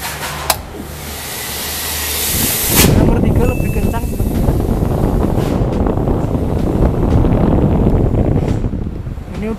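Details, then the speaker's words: 40 W tower fan with blower, after repair of total failure, on speed 3: after handling noise, a steady even rush of air with no rattle or scraping; blower running normally. "lumayan kenceng ya putaran angin dan embusan anginnya juga lumayan"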